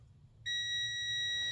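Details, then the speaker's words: Honda Pilot 3.5L starter that clicks but won't start: silence, then a steady high multimeter continuity beep between the S terminal and ground on the starter solenoid hold-in coil; a closed circuit, so the coil is good. "so that's a good beep that means it's a close circuit we got a good circuit in that one"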